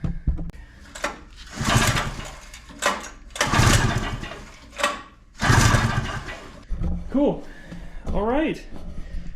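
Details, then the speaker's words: 1982 Honda Odyssey, engine not frozen: spins over in short bursts with even compression pulses but never fires; no spark because the ignition coil is not plugged in. "That is really good. Sounds okay. Obviously, there's no spark."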